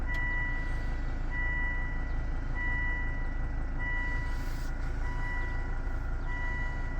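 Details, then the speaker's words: Volvo turbo engine after bad smoking turbo was dealt with, oil line refitted; owner thought oil light flickered: steady even hum with no whistle, rattle or knock, faint chime in background, no check engine light; normal running. "Sounds good. Making any any noise. Check engine light. Nothing"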